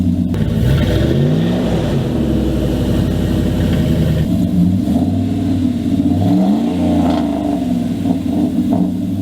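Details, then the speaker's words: 2000 Dodge Dakota idling and revving: loud raspy note with harsh puffing from a broken, rotted exhaust dumping under the passenger seat like a straight pipe, then a quieter deeper tone after the patch repair; exhaust leak fixed. "so that was just the old broken exhaust versus the new fixed exhaust before just sounded like it was like i said it was just dumping right underneath the passenger seat so it's like a straight pipe basically"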